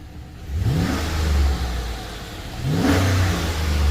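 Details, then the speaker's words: Freshly rebuilt Chevy 5.3 V8 with full AFM delete and new cam bearings, first run with no belt or accessories: two clean blips rising and settling evenly, good oil pressure, slight burn-off smoke; healthy rev. "H sounds pretty good to me considering there's no belt no accessories nothing turning sweet"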